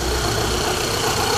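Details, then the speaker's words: Golf 1.8 Turbo 150 hp (same engine as Audi A3): rough, busy idle with a steady rattling hum that disappears with slight throttle and returns at idle; owner plans to replace water pump, timing belt and tensioner kit; abnormal engine noise at idle. "Vou colocar vocês para escutarem o barulho e vocês vão ver que acelerando um pouquinho some o barulho."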